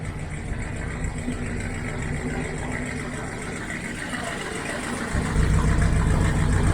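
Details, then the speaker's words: 1972 Corvette C3 V8 at idle with rusted rear mufflers removed, before fitting new ones. Deep, loud, open burble about three to four pulses a second, rising at a blip; loud because rear silencers are missing. "हां, जैसा कि आप शायद सुन सकते हैं, आज कार्वेट थोड़ा लाउड है और इसलिए मुझे माइक्रोफ़ोन के करीब जाना है ताकि आप मुझे समझ सकें और मैं आपको दिखाऊंगा कि यह ऐसा क्यों है या बैकग्राउंड क्या है। कार्वेट पर पीछे के साइलेंसर गायब हैं।"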